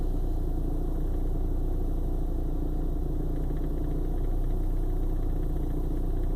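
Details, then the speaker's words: 1995 BMW 318i idling; low, uneven, lumpy, stumbling beat like a misfire despite new spark plugs; rough start and idle come and go day to day; cause unknown. "does this on and off from time to time. One day it starts good, next day it's just shaking."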